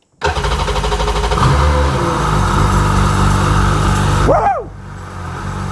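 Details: Sea-Doo GTX DI 951 Millennium Edition, rebuilt engine, after the fuel pump was pulled and checked and the tank refilled: catches quickly, revs up strongly, then drops to a smooth run. Normal start after the no-start fix.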